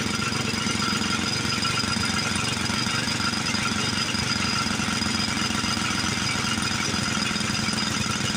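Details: Montgomery Ward 32 garden tractor after an ultrasonic carb cleaning, new spark plug and choke set: small single-cylinder running roughly with ragged clatter and heavy smoke; owner suspects it needs a new carburetor, possibly worn rings.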